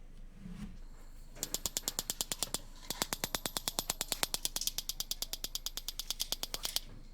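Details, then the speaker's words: Weber Spirit propane BBQ, newly installed battery electrical igniter after refurbishment: crisp even ticking about three sparks a second over quiet background; igniter sparking normally, lights right away. "and it works right away no problems can't really see it working but you can hear it a little bit"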